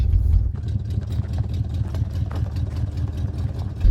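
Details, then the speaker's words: 1970 Jeep Wagoneer with a Buick engine and automatic, just started after sitting 22 years, carburetor untouched and running rich. A lumpy uneven idle with puffing ticks is suspected to be exhaust leaks plus a dead number 7 cylinder, possibly a wire. "I actually think that noise is just exhaust leaks. And number 7 probably just needs a wire or something silly like that."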